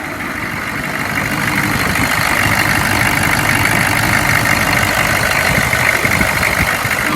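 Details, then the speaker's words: 2002 Chevy 3500 flatbed, 6.5 L diesel, about 81,644 miles, sat over 6 months, started with starting fluid, running about 20 minutes without overheating: even steady idle, consistent low rumble, no missing beats or knocks; idles smooth, revs nicely. "I am not a diesel mechanic by any means, but I uh I will tell you it's idling smooth. It revs up nice."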